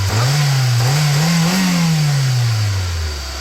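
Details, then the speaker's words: Car with hesitation and loss of power uphill, cylinder 2 misfiring: after replacing all four ignition coils, plugs and wires, a sharp throttle pull revs quickly and smoothly with no stumble, normal. "찐빨 안 하기 때문에 [음악] 정상입니다 아주 멋지네요"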